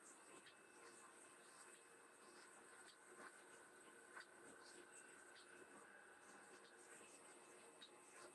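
A quiet, even milling cut with steady high tones and no chattering rattle, just light scattered cutting ticks.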